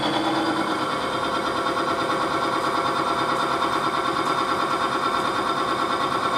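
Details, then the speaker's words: Timken bearing test rig under a doubled 10 lb load, lubricated with Modern Spartan Systems Accuracy Oil: a steady even whir with a light rhythmic ripple, running over 20 seconds with no screeching, smoke, heat or divot. "it ran for over 20 seconds without fail no screeching no smoke no heat because the friction was virtually eliminated"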